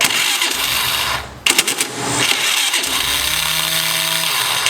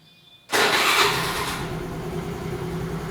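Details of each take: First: Honda Activa 4G scooter, starter motor near engine by belt cover: starter whirs up to a high, thin spin but the engine never turns over; faulty Bendix drive, its spring mechanism worn or clogged with deposits, not engaging. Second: Honda Activa 4G scooter after a Bendix drive repair for a starting problem: a brief starter whirr, then the engine catches at once and settles into an even idle, a normal electric start.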